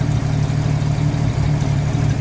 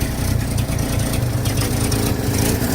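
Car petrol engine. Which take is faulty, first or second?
first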